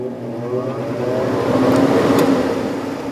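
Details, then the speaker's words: 1995 Sharp window air conditioner, lying on its back, fan-only test with compressor off after bearing oiling: motor spins up smoothly into an even, quiet hum with no grinding or squeal. "sounds pretty quiet and there's definitely plenty of oil in that bearing as you could see some came up when I started it going"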